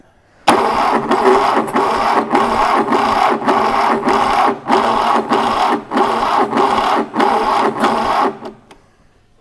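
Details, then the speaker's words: 1968 Fiat 500 twin-cylinder engine, sat unused since the early 80s, revival attempt with bigger battery: starter turns slowly in uneven groans, about ninety strokes a minute, never catches; worn starter motor suspected. "think a lot of that's the starter is only just and just turning over isn't it it doesn't seem to make a difference how bigger set of amperages you've got on I think if we had a good starter motor we'd be away"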